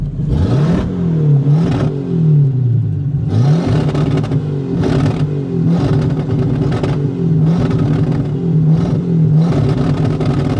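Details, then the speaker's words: 1950 Buick Straight Eight (chopped rat rod), revved in repeated blips that stumble, burble and pop, as if missing on one or two cylinders; the owner suspects bad plugs and wires about five years old. "You can hear it's missing and burbling and popping a lot. It really feels like it's just missing on 1 or 2 cylinders now."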